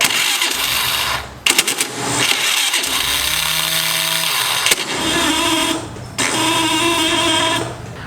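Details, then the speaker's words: Honda Activa 4G scooter, starter motor near engine by belt cover: starter whirs up to a high, thin spin but the engine never turns over; faulty Bendix drive, its spring mechanism worn or clogged with deposits, not engaging. "तो basically a starter motor है वह spin कर रही है लेकिन scooty और start नहीं हो रही है"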